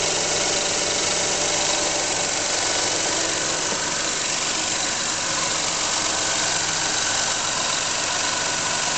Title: Weird noise from underneath engine